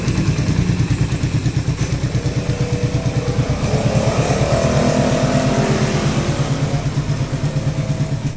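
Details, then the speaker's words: Suzuki Raider 150 carb-type single-cylinder motorcycle after new timing chain, guide, tensioner and valve clearance reset: steady idle thumps and a brief rev with no chain rattle or ticking; engine noise gone. "na magpalit ng timing chain with guide magpalit ng tensioner at mag-resume okay na yung makina ng motor ni boss non so wala na yung ingay"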